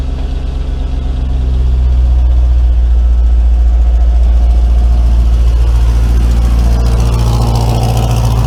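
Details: Mercedes W203 C230 Kompressor coupe with swapped Lexus 3UZ-FE V8, after new exhaust installed: deep, even V8 idle burble swelling smoothly as revs rise near the end, no drone or rattle; healthy exhaust.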